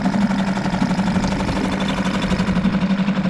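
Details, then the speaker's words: Suzuki DF5A four-stroke outboard (2017 onward) after a full service, started on its internal tank with the choke in: steady buzzy hum about four beats a second, no knocks or misses, good water stream; normal idle. "and there we go very light engine pull put good water coming out"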